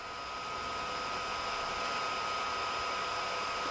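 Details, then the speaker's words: Amiga 2000 in a PC tower case, first power-up after cleaning: steady airy whir with a thin constant whine from the small fan under the accelerator module, which is pretty broken; failing cooling fan. "The fan noise that I was getting, I can show that. That is actually coming from the accelerator module, and I totally forgot that actually features a fan, and the fan is under here, and this fan is pretty broken"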